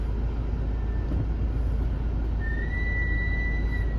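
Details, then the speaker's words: Mazda CX-5 reversing out of the garage: a thin, steady high squeal over a low idle when the brakes are applied, with none going forward; pads and rotors are in excellent condition and lubrication is planned; brake squeal when reversing. "you hear those bricks you back up and you hit the brakes they made quite a racket"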